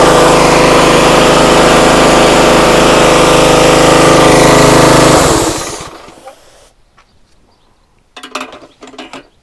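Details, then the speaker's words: Free used pressure washer at full throttle on choke, pump loaded: steady even high-speed engine drone about five seconds then shutoff; engine and pump work fine. "washer Works motor seems fine pump seems fine"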